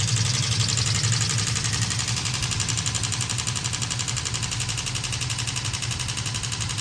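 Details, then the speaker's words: New Edge Mustang that overheated and boiled coolant during hot laps at a drift event: rapid steady knocking, about four per second, over the running engine, from the destroyed radiator cooling fan turning slowly, not the engine; fixed by a replacement fan. "But it really was actually just the fan destroyed, not really spinning very quickly, and it made a knocking sound."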